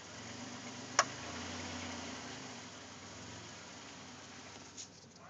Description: 2005 Chrysler Town and Country van that has a loud popping noise when shifting between "Park", "Neutral", and "Drive".